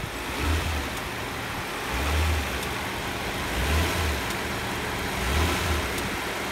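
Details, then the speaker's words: 2002 Nissan Maxima GLE after replacing the front electric engine mount: revs rise in smooth, even swells and settle cleanly, with resonance through the body much reduced: normal engine run. "the resonance is way down and now when i wing it up"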